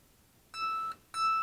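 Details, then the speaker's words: Guitar string plucked after lowering the pickup height, which had been set too high so the string vibrated against the pickup and sounded dead: two clean notes ringing steadily with no buzz or choking, normal sustain. "and then it rings a bit more true"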